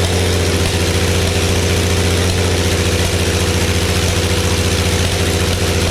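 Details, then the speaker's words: Early Case 930 diesel tractor, believed 1960, unstarted about 14 years, new filters, final filter primed, no exhaust manifold: loud uneven idle about two beats a second, a couple of cylinders weak, liquid from one; later ran out of diesel. "You can tell a couple cylinders are not quite right. We're getting a lot of fluid or liquid out of that one."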